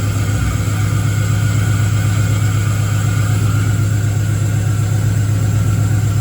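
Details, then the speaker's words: Engine-swapped Camaro with a 6.0 V8 at its first start after the swap, with the tune still being sorted: a deep, uneven, off-beat rumble pulsing about four times a second at idle, popping and banging. "But anyway, we got it started and it was running real weird and popping and banging and whatnot."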